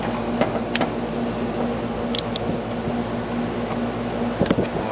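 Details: Carrier AC outdoor unit on no-cool call, compressor restarted after rewiring to capacitor: steady, even mid-tone hum, no clatter or labouring, about 9.3 amps, suction line cooling; normal compressor running.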